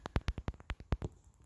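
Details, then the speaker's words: Land Rover Discovery LR3/LR4 reverse parking sensor, phone held against it in reverse gear while a parking sensor error shows: rapid sharp ticking, about six or seven clicks a second, showing this sensor works; one of the four does not click. "But looking at the forums, it says to actually check each of these sensors to see if you can hear it clicking when the thing is in reverse."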